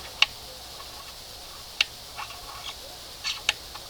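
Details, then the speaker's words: 1971 Johnson 20 hp outboard running in a water bucket just after fuel priming, with air seen in the fuel line: a few sharp irregular clicks, source unclear; shortly afterwards the unclamped fuel line blew off. "This thing's clicking. Hear it. Go. Click. Click. Right there. I don't remember hearing that before."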